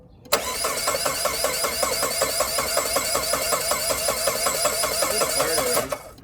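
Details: Saab 9-3 sat 3–4 years, low on gas, crankshaft position sensor just hooked up: steady starter churning about 2.5 beats a second for over five seconds, never catching; crank no start, immobilizer lockout.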